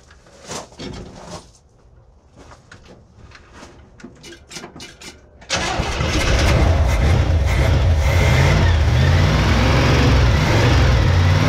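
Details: 1971 Chevy K10 4x4 pickup, 350 small-block V8 with carburetor, first start after sitting ~10 years, cold, choke on, carb gasket leaking: cranks, catches, fires at about five seconds and settles into a low, slightly lumpy idle; owner suspects old gas.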